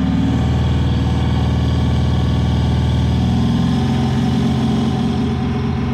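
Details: 7.3 PowerStroke diesel at full throttle, blowing blue smoke: loud deep roar with an uneven, stumbling pulse about four times a second, misfire under acceleration.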